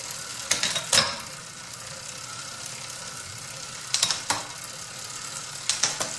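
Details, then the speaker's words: Bicycle chain that looks black and lubricated but is drying out: steady dry rasping hiss with irregular clicky bursts over the cogs, borderline squealy and costing at least 5 watts; shifting still fine but may hesitate as it dries further. "It runs noisily. It shifts alright, but as the chain gets drier or goes drier, it will shift with a little more hesitation or a little more delay."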